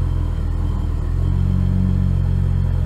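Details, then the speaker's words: 2011 BMW E90 xDrive, rebuilt N55 with Stage 2 turbo and 8HP45X swap, after fixing crank-no-start: fires up much nicer, smooth even idle still adapting, AFR 14.4, no check engine light. "that fired up way nicer than before it has to learn remember"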